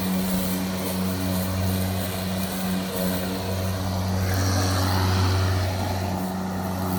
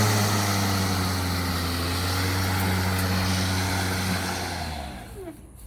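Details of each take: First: Milwaukee electric lawn mower with loose power button held in by a pressure clamp, outdoors: steady low motor hum at constant speed with no cut-outs; running normally. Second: Milwaukee cordless lawn mower, new unit showing the same fault, run off load out of grass: motor drones a few seconds then sags and winds down to nothing; switch apparently not holding without constant pressure, not confirmed.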